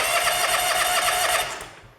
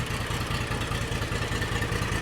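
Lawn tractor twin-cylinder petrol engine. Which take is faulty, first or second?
first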